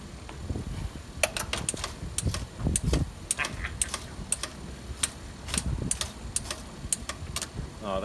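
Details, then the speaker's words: 1974 Chevrolet C10 replacement mechanical windshield washer pump, after repair: cam turns and piston snaps, crisp fairly regular ratcheting ticks a few times a second over quiet background; normal washer pump operation. "so what you're hearing in there is this cam goes around ka tank ka tank katenk you're hearing that and then as it goes this piston right there does its thing snap"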